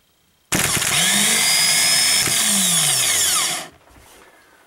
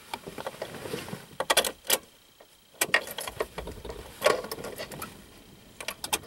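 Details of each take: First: 2000 Subaru Outback new starter spun free on the bench with no load: a clean, even whir spins up fast, holds about three seconds and winds down smoothly. The old starter sounded gritty; the no-start was ultimately a dead short inside the battery. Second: 2000 Subaru Outback after starter replacement: a few sharp single clicks with no cranking between them; starter relay just clicks, starter is fine, and the battery has a dead internal short; it started only with the starter boosted directly from another battery.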